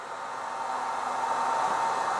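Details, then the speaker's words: 600W inverter on a small booster pack running house circuits: airy cooling fan rush climbs in loudness and pitch as the inverter pulls more power; normal fan response to load. "can see fans are blasting because it is pulling power now"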